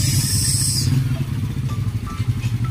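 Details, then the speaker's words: Yamaha Mio Sporty scooter after a top-end refresh (new piston, replacement for a sunken, leaking intake valve): clean, steady single-cylinder rev with no misses, pops or rattles; new piston still to be broken in; normal revving. "nga. So bibreakinin pa ng konti dahil bagong piston yan, pero okay na."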